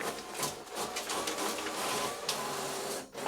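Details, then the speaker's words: Epson EcoTank ET-16600 automatic document feeder before repair, reported grinding and struggling to pull sheets: busy whirring and scraping, then a sudden break as the page jams mid-feed; jam thought possibly unrelated to the fault. "I don't know if you can hear that, but the document feeder has a fault on it, and basically it makes a grinding noise and it struggles to take the sheet through."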